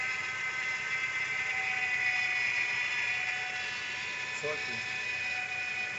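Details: 2012 Nissan Sentra, accessory belt removed: steady high whirring with a fast flutter persists, coming from the crankshaft pulley area; cause unknown.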